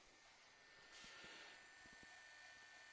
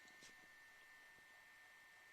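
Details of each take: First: 1994 Samsung MyCam VP-U10 8mm camcorder after repair of its capstan motor, whose degraded stator magnet coating had jammed it (C.EMG error): playback runs with a faint, even whirr and a few soft clicks; plays perfectly. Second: 1994 Samsung MyCam VP-U10 8mm camcorder after capstan motor repair, during playback: faint steady high whine at one pitch under quiet hiss, a small noise from the capstan motor, though much quieter than after the first repair and acceptable.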